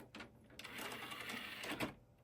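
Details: Dell Dimension 4300 desktop running Windows XP, found on the curb, at first bootup: a short burst of rapid mechanical chatter and buzzing from the floppy drive as its head seeks at boot, then quiet; normal floppy seek.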